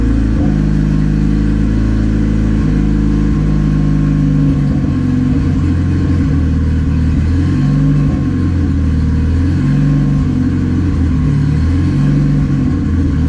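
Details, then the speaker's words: Turbo D16Y8 Honda Civic during street tuning sits at a raised, steady idle that won't settle, because a popped line on the IACV lets in unmetered air; vacuum leak causing high idle. "sounds like I got a vacuum leak"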